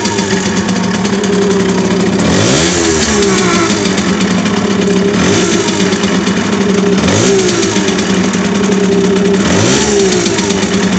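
Two-stroke idling, then blipped roughly every two and a half seconds; an odd extra noise rides each rev, cause unknown.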